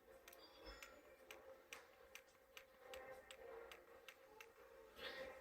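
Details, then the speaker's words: Nintendo Switch controller ZR trigger, good reference unit: crisp, light, even clicks about two to three a second; the trigger switch actuates normally, unlike the faulty controller that no longer clicks. "now to demonstrate the exact issue i want you to first if it's audible listen to the clicking of this controller"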